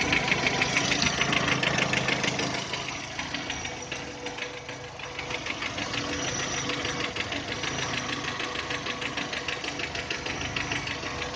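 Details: 2010 VW Touran 1.6 BSE cold start, about a minute in as revs drop below 1000: sharp regular tapping about three per second, fading as it warms, stopping above 1000; seems left side. Rebuilt just over 15,000 ago with new pistons, valves, hydraulic lifters, bored block; cause unknown.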